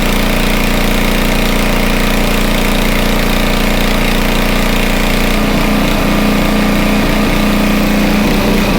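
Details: Homelite 2500 W generator, no load: steady even drone at constant speed, no misses or knocks; normal no-load running, speed could be a little higher but pretty decent.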